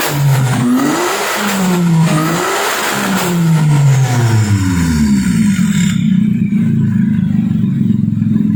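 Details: Kancil converted to Japanese AVY turbo engine: revs up and falls back cleanly several times, then settles to a steady even idle, no misses or knocks. Engine judged perfect, no smoke; early smoke came from oil spilled on the exhaust.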